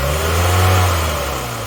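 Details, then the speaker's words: 1993 Ford Mondeo Mk1 saved from salvage auction, after starting first time: smooth, even low hum at steady idle, no misses, knocks or ticks; normal idle. "Well, that's sounding pretty good to me. That sounds perfect."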